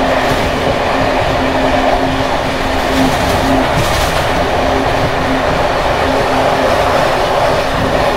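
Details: Bd264 481 coach (built 1979), worn Görlitz V bogies long since overhaul, evening express on uneven line 190 between Hluboká nad Vltavou and Číčenice; loud rolling roar with constant clattering rattle from slack bouncing brake rigging.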